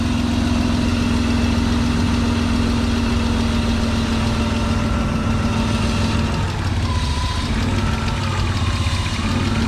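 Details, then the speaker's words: BMW E36 convertible after oil pan replacement, smoking from residual oil on exhaust: steady low idle with uneven hunting, wavering pitch; rough idle from vacuum leak, idle control valve popped out of loose grommet. "but it is idling like it's got a vacuum leak which is weird you can kind of hear it"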